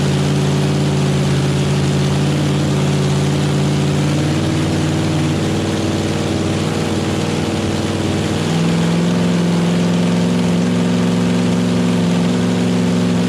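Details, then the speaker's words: Chevy small-block nitrous drag engine, first start, cold, headers not yet built, good oil pressure: deep, steady V8 burble at an even idle, about three pulses a second, no knocks or misses; normal idle, needs carb tuning. "sound it definitely needs some carb tuning but yeah it's tuned i mean hell it's the first time it's run so man it sounds good though yeah sounds great"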